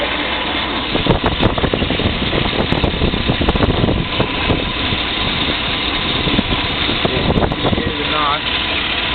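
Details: 1994 Silverado 1500 V8 with a newly replaced transmission: uneven sharp knocks over a rough idle, seemingly from the right side, as the oil pressure gauge drops, sometimes to zero; source not yet found.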